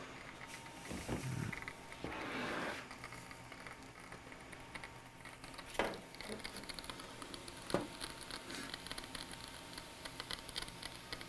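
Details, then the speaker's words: Laptop logic board on the bench, a failing cooling fan bearing gives irregular dry ticking and crackling like a Geiger counter, first mistaken for the speaker. "oh wait that's not the speaker at all that's a fan bearing yeah that's actually the fan bearing hear that it sounds like what my engine is gonna sound like"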